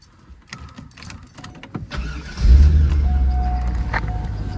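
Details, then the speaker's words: GM coupe with 5.7-litre V8: cranks and catches into a steady idle, with a short high chirp repeating over the rumble. Owner blames the chirp on the AC and heat; it sounds like a slipping accessory belt, but that is not confirmed. "It does have a chirp because of the AC and heat, but idles perfectly well."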